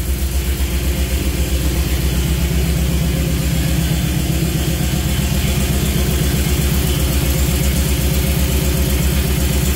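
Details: Jeep CJ5 with Holley Sniper EFI, first start of the engine: steady, even low idle with a smooth regular pulse and no knocks or misses; good voltage, but the gauges aren't reading.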